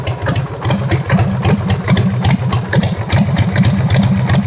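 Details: 1990 Harley-Davidson Sportster Evolution first run after rewiring the start/run/kill switch and headlight: a lumpy, loping V-twin idle with an extra irregular tapping over it. Abnormal engine noise, cause not identified.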